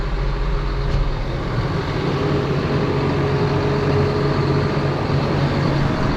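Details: John Deere 7830 tractor diesel after replacing a seized VGT turbo actuator: steady even drone holding smooth, no misses or knocks; judged fixed.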